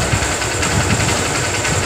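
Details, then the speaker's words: Honda CB Shine single-cylinder bike after engine repair for a harsh engine noise: smooth, steady idle with a soft even patter and no knocks or rattles, now sounding like the factory-original Shine; normal idle. "यहां का sound आप सुन सकते हैं एकदम sign का जो sound होता है कंपनी रिकॉर्डिंग दोस्तों वह साउंड इसमें ए गया है"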